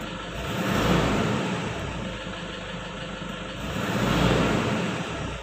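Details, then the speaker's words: 2009 Toyota Innova 2.5 diesel automatic, long unserviced, very dirty black intake: engine rises in two slow swells on throttle, body shudders on first tip-in; tune-up and purging planned; hesitation on acceleration from dirty intake and EGR. "Jadi, kata mereka, saat pertama kali diinjak pedal gasnya, mesin akan sedikit bergetar . Ah, di sini Papi merasakan bahwa ketika aku menginjak pedal gas, bodi mobil sedikit"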